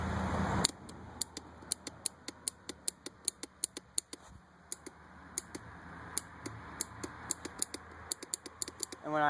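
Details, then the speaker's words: 2002 Yamaha Raptor 660R quad with brand-new starter and relay, small 6-volt battery, jumped from a truck: rapid irregular clicking with no cranking; starter clicks only, weak battery suspected as headlights dim. "but yeah my battery is also small for this quad but see all it does is Click"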